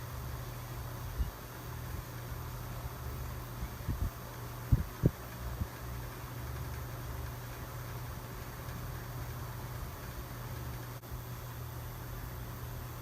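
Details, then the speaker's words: 1948 Westinghouse Mobilaire fan after disassembly and rewiring repair, first test run on a makeshift stand at low speed on 120 volts: low steady motor hum with soft air rushing, a few early handling thumps; runs smoothly. "Okay, here's the first test run on my makeshift stand. This is on low speed at 120 volts."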